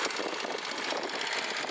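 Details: Rieju MRT Pro two-stroke motorcycle at idle: steady buzzy exhaust note, raspy and tinny, with a small metallic noise from a spring; no knocking, a normal idle.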